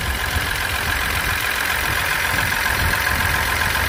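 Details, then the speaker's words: Ford EcoSport with the Dragon engine, run on the wrong oil so the engine had to be opened, at idle: a thin high whine over an uneven low knock, suspected timing belt noise from an oil-degraded wet belt. "EcoSport aqui tá famoso motor Dragon lá e está com barulho nervoso aí você percebe aí"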